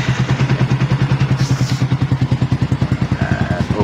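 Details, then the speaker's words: Sniper 150 motorcycle started right after fitting a new aftermarket 4S1M TPS in place of the failed stock sensor: even, regular firing pulses at a steady idle, no misses or hunting; engine running normally. "Okay, function naman sa mga paps, no."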